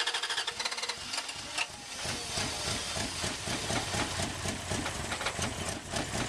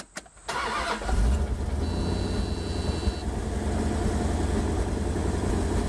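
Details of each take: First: Wood gas truck engine with new automixer: steady rapid chuffing cranking several seconds before catching; wood gas slow to come back, failed cranks attributed to bad gas quality, mixer not yet fine-tuned. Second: Wood-gas truck with an automixer, key cranked with gas already present: the air valve jumps from wide open to the proper position, and the engine catches instantly into a steady, smooth idle. Normal start and idle.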